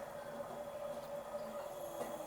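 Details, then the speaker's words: Home water purifier after reassembly, which had earlier hummed without pumping: the pump motor runs with a quiet, steady hum, no knocking or surging. Water starts flowing and no leaks are seen. Repair successful, normal running. "જો અહીંયા પાણી આવવા લાગે તો mission successful. ચાલુ થઈ ગયું છે."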